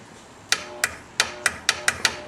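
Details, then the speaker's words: 1997 SLT 700 personal watercraft, bought for parts: start button pressed, sharp irregular clicks, eight in about two seconds, no cranking; starter engages but engine won't turn, owner suspects locked motor or locked drive, to be pulled and inspected. "man that doesn't sound good sounds like a locked up motor to me"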